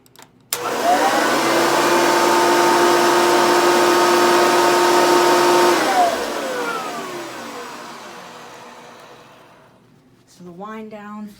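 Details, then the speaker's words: Hoover Legacy vacuum (model U4537-930) after greasing the motor bearings: motor spins up to a smooth steady whine with no bearing growl, then coasts down slowly and evenly after switch-off; normal motor run. "i know my vacuum and that sounds ten times better than it used to so like you used to be able to hear that bearing"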